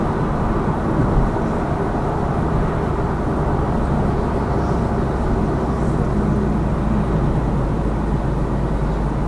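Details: Lada Vesta Cross with AMT 2.0 robot gearbox, fully loaded, on rough road; head-mounted action camera. Steady road and engine rumble, no knocks or clunks over bumps; suspension healthy after shock absorber strut replacement eliminated the knock.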